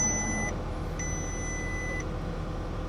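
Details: Automatic six-cylinder used car with 127,000 miles, idling: high-pitched electronic dash chime in long on-off pulses over low cabin hum, with TPMS, service, brake, coolant and airbag warnings displayed.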